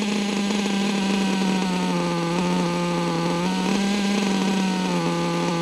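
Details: Nitro LST-type RC truck (possibly an Aftershock with LST parts) with replacement LRP Spec 4 engine and poorly rebuilt carb running super lean; high buzzy scream wavering and hunting in pitch, unstable; owner plans to replace the carb.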